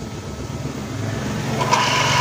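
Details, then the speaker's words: Water pump motor running before bearing replacement, making noise: steady motor drone with rough, gritty rasp and thin high whine on top; worn motor bearings, to be replaced. "दोस्तों ये हमारे पास आज water pump है, इसके बैरंग और change करेंगे। पहले आपको चलाकर चेक करवा दें, ये आवाज़ दे रही है,"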